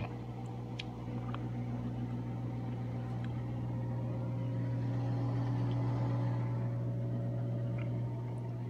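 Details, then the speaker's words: Whirlpool Duet front-load washer, about 4 years old and trouble-free, vibration sensor and leveled; low even motor hum slowly building toward high-speed spin, no knocking or scraping; normal spin ramp-up. "doing a high-speed spin. It does take a while sometimes to get into high-speed spin because of the needs to like warm up a little bit."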